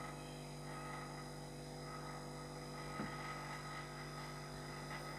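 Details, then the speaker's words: LG fridge compressor running during second charge of pure refrigerant, gas let in slowly after leak testing: steady low hum with even tones and no knocking; running smoothly while taking refrigerant. "ফ্রিজের শব্দ বুঝতে পারবেন। Gas নিলে আওয়াজটা change হয়ে যাবে। আওয়াজ তো নিশ্চয়ই শুনতে পাচ্ছেন।"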